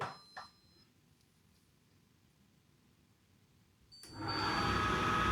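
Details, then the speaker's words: Candy condenser tumble dryer reported noisy and grinding, after drum support wheel bearings replaced: beep and click, then loud whooshing roar with a thin high whine; sounds nearly the same as before. "Sounds near enough the same."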